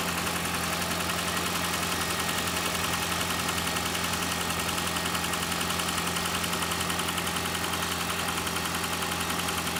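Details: Engine idling during oil pressure test on a 2012 Toyota Prius 2ZR-XFE: a light, regular knock at about two per second rides over the engine note. Pressure reading reaches 60 and then drops slightly. Knock source not yet determined.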